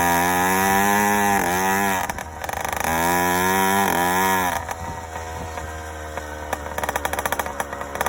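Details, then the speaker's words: Yamaha YD100 two-stroke with Dio reed valve and 24mm OKO carburetor, choke on: buzz wavers and burbles unevenly, skipping beats as revs rise and fall; four-stroking on a rich mixture; main jet change planned. "It definitely went faster and more responsive, but still four-stroking and way rich."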